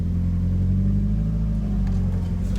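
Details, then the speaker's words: Mazda Miata with brand-new Exedy OEM clutch kit and Super Miata lightweight flywheel: steady low droning hum while slipping the clutch from a stop; noise also on decel in 1st and in reverse, goes away with pedal in; cause unclear. "all right clutch sound I think from stop slipping into first"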